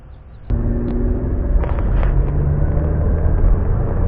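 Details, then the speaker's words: 2009 Chevrolet Malibu after front wheel bearing replacement (axle nut 160 ft-lb), test drive around 40–45 mph: steady road rumble with no growl or hum building with speed; the earlier highway vibration and noise are gone, bearing quiet. "god-awful noise I don't hear that has the kind of sound I like to hear in work great"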